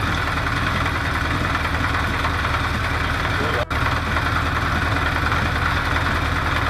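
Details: Recommissioned 1973 Honda CB500 Four at idle with air filter fitted, during an emissions check per cylinder: steady idle with an uneven beat and a brief dropout. The owner suspects the second cylinder from the right, probably running lean, is sputtering.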